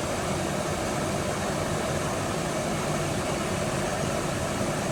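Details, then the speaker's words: 2005 Chevy 2500HD after blower motor, blower motor resistor and driver-side blend door actuator replacement (previously noisy, only speed 5 worked): steady even air rush on high fan over quiet idle, no rattle or squeal; racket gone. "the blower is not making all the racket it was before so that at least tells me that that's working well"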